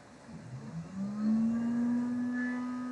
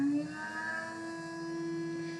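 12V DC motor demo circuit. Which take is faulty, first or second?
first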